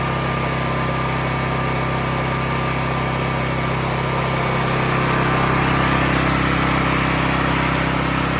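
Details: A Cat RP8000E 8000-watt generator, about five years old, that used to start and then shut down immediately. It runs with a steady, even drone that holds speed with no surging or dying. Running normally.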